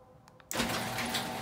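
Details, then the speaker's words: Genie Pro garage door opener after re-engaging the carriage pin that had left it only humming: click, then steady motor hum and chain rattle as the door closes fully; normal run after fix. "[ ... với âm thanh ầm ầm, cửa nhà để xe đóng lại hoàn toàn... ]"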